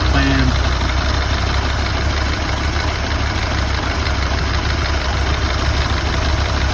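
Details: Ford Model A engine at idle: low, lumpy idle with uneven beat and occasional stumbles, one cylinder dropping out; misfire.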